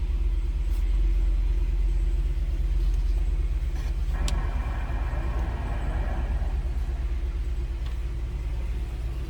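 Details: 2022 Jeep Grand Wagoneer Series III 4x4 at 12,103 miles, just started: steady even low rumble with a smooth regular beat and no knocks or misses; petrol engine idles healthy.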